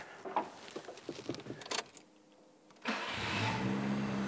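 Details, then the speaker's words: Nissan March Superturbo after new control arms, brake service, new exhaust and dump pipe: engine catches promptly and settles into a smooth, even idle, sounding much the same as before; healthy start. "so nice. Sounds pretty much the same. Awesome. Brilliant. Very happy with that."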